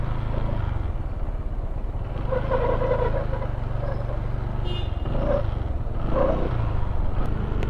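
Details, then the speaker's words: Honda PCX160 scooter running with a low rumble and an uneven clatter from the CVT (drive side); the owner plans a DIY fix for the noise, and the cause is not yet known. "Kasi kung naririnig nyo yung panggilid ko, meron siyang tunog, no?"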